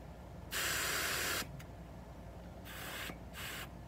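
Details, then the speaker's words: Newly mounted tubeless motorcycle tire, inflated to 40 PSI, air let out through the pressure gauge's side release valve down to 30 PSI running pressure: three short bursts of sharp hissing. "So we're going to, this thing has this little thing on the side that'll let air out, or you can turn it around and poke it with that little piece."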